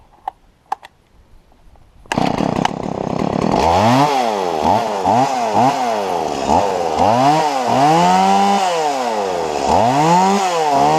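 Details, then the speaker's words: Stihl MS170 chainsaw after lifting the bent carburettor inlet control lever about 2 mm: snaps cleanly from idle to full revs and holds steady through repeated cuts, no bogging; normal running under load. "well I tore this whole thing back apart and I took a look at this and I realized that the top of that lever was bent down too far so all I did is I took a pair of pliers and I gently lifted it up about 2 mm after which this is what happened"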